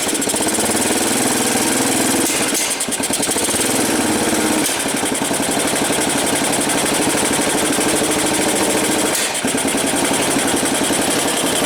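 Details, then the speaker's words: 1985 Yamaha BW 200 first run after sitting since 1997, started with choke: loud, even single-cylinder idle with a steady beat, no backfires; top-end noise quieted, owner suspects it was a slightly stuck valve. "let's say she started pretty good hey not backfiring probably just had a little anymore of a stuck valve boy that sounds good"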